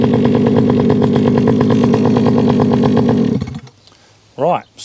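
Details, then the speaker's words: Rebo ATV quad bike, rescued from a recycling centre, running with choke off: small single buzzes along at a steady fast beat with an even tone, then cuts cleanly, no misfire or hunting. Quite pokey for its size; normal running. "it runs now the problem is is that that is that for what it is that's actually quite pokey"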